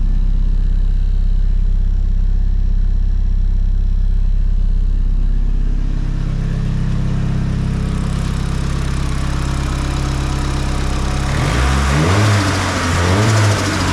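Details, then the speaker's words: Nissan S15 SR20 with Garrett T28 turbo after turbo/exhaust manifold gasket replacement and plate locks following boost leak: smooth quiet idle then clean revs, no ticking or puffing at manifold; exhaust leak fixed, normal. "Finally, no more exhaust leak. So, I'm normal again, chill, quiet."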